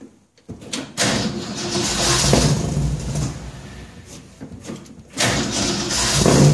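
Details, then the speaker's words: 1966 Ford F100 V8 on points ignition, first start with new headers and a new exhaust system. It fires after a couple of attempts and settles into a deep, throaty idle with throttle blips. No ticks or rattles; the exhaust note is normal. "well i think that was a success exhaust sounds good real good"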